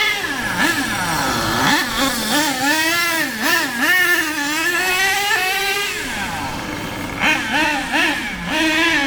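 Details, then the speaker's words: HPI Savage 21 monster truck with K4.6 nitro engine after low- and high-end needle tuning, not run flat out, one tire off rim, fuel low: high buzzing that climbs and drops cleanly through gear changes, no bogging; tune more or less perfect. "now I think that that is that more or less perfect"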